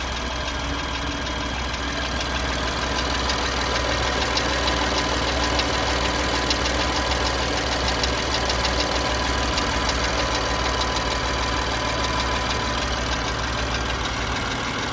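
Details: BMW M4 cold petrol engine at idle: light, fast ticking of about three ticks a second over the hum, possibly lifter tick (suspected, not confirmed); the car went in for warranty repair over this noise.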